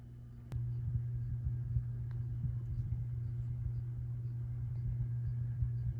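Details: 1987 View Fan Spinner V36R 36-inch ceiling fan, a cheap model known for poor bearings and cyclic flux noise, on low speed, powered straight from the outlet; the canopy vibrates. Steady, even low electrical hum, no bearing rumble or ticking, no cyclic flux noise.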